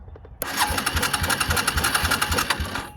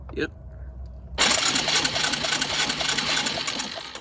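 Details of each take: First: Suzuki Quad Runner LT160 ATV of unknown condition, cranked by bridging the starter solenoid posts with pliers: the starter spins at once and cranks the single evenly at about four compression beats a second; the engine turns freely. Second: Suzuki Quad Runner LT160 single-cylinder ATV, long unknown condition, cranked by the starter solenoid at about three and a half compressions a second with no firing; spark test at the plug boot shows no spark; crank-no-start.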